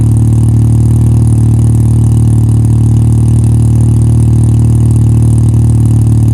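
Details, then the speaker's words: 1985 Mazda RX-7 GSL with a newly installed Racing Beat exhaust, microphone placed near the exhaust. A deep, steady, chuffing throb reveals an exhaust leak from a hole between the pre-silencer and the connecting pipe. "Well, there's a small issue. The point between the pre- silencer and the connecting pipe, there's a hole. There's an exhaust leak. You can hear it."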